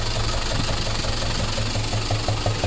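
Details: Lorry box truck with a 14B diesel that suddenly began knocking while carrying a load: at idle a steady, sharp knock of about six beats a second.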